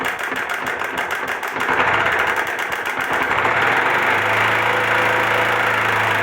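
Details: 2004 Honda Titan 150 motorcycle engine running with a rapid, uneven mechanical clatter, about four knocks a second over idle, before teardown; abnormal engine clatter, cause unknown.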